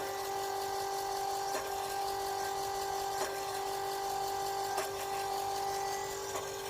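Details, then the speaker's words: Fass 150 fuel lift pump on a Chevy LML diesel, key on, running again after a blown fuse was found and replaced: steady mid-pitched electric hum with a faint tick about every 1.5 s; owner unsure but believed normal. "honestly I can't remember from when I first got it if this is what it's supposed to sound like but that's the sound that it's making"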